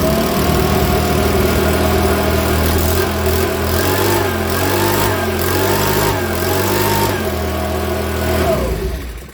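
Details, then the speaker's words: Makita BHX2500 four-stroke leaf blower after valve clearance adjustment (intake 0.04 mm, exhaust 0.06 mm): runs fairly steadily but wavers and stumbles now and then, a slight splutter; owner still unhappy, believes it is not backfiring. "now that starts up don't get me wrong i think it i'm not happy with it spoiling a bit still but you can still hear it"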